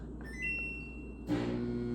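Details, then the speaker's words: Samsung DV431AEP/XAA 240 V dryer: start beeps then steady low electrical hum, motor not engaging to turn fan, no spin-up; motor stalled, later found bad with broken spring latch, replaced. "You hear that? It just hums. All right. So, what that is is the motor not engaging to turn the fan."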